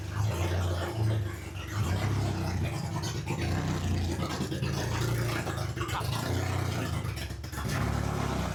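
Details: Honda H22 swapped into a Civic on a FuelTech FT450 ECU, just after first start with no exhaust system fitted: loud, raw, uneven bark with no muffling, holding roughly steady at idle. Idle to be adjusted later.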